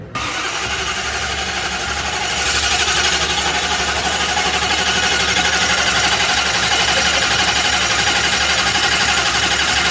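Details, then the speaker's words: Drag car engine cranks steadily on its starter without firing, about four beats a second, while priming oil pressure after fixing fitting leaks; oil pressure comes up to 40 psi. "Oh, okay. Well, I want to crank it over until we see oil pressure."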